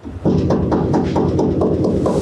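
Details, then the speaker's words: Truck cab back wall after one piece of aluminized sound-deadening mat was rolled on: about nine knuckle knocks give short dull thuds, no tinny ring or rattle. "You hear how it's not rattly? It's not like, do it, it's just do."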